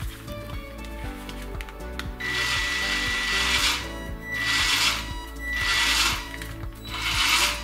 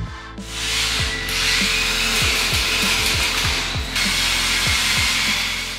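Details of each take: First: 1:16 4WD RC pickup, fully charged battery, full throttle with wheels lifted off ground: drive motor whine surges and cuts out cyclically about every second, with background music. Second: Radio-controlled 1:16 four-wheel-drive "Pickup" off-road model with soft wheels on suspension, after repair of no steering and weak drive: quick bursts of high electric motor whine spinning up and down with light gear chatter; drivetrain clean, repair complete.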